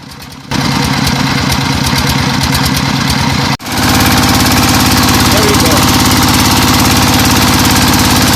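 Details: Single-cylinder diesel after its camshaft gear timing was corrected, warming up at idle for about a minute: steady, even thumping at about 210 beats a minute with clean firing, running normally.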